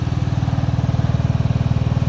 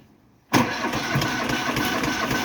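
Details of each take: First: Cub Cadet Series 2000 riding mower after sitting eight months, just started and unloaded off trailer, before enzyme fuel treatment: even low thumping idle with no misses or knocks; idles pretty smooth, normal. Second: Cub Cadet Series 2000 riding mower cold start after sitting eight months on a trailer, battery just reconnected, little fuel in tank: long rapid cranking chuffs, engine stalls and cranking resumes without catching; hard starting, cause unconfirmed.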